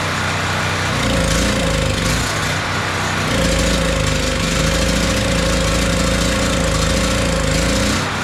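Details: PowerHorse 4000 W generator, 208cc single-cylinder engine, that had sat and wouldn't run, after fuel system cleaning: it catches and settles into a steady, even run with a constant hum, running cleanly.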